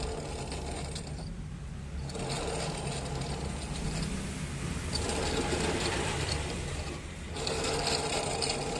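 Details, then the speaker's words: TVS Jupiter scooter (new model) with the rear wheel spinning: a dry, rhythmic chirping about three to four times a second from the clutch or wheel area, present for many days. It traces to a worn clutch pulley bearing. "ये चिर चिर की आवाज आ रही है clutch में से या व्हील में से आ रही"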